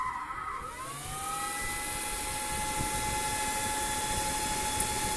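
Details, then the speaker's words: Pro-grade CNC control enclosure, 48 V industrial brushless Sanyo 60×38 mm fans at power-on, rated 0–10,000 rpm in under 2 s: tones sweep up within a second to a steady high whir, no rattle or scrape; clean spin-up. "They accelerate from 0 to 10,000 RPM in under 2 seconds. You will hear that when I cycle the power on."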